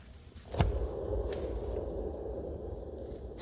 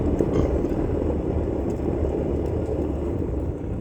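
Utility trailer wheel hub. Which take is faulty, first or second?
second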